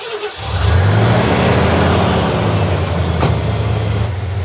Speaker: Look like it's got a low compression cylinder. It's got a vibration and all that. You see it? It ain't idling smooth.